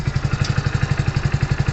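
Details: Hero Splendor Plus BS6 single-cylinder motorcycle at idle: steady fast light ticking, about twelve a second, possibly valve tappet clatter; owner unsure and plans a service check.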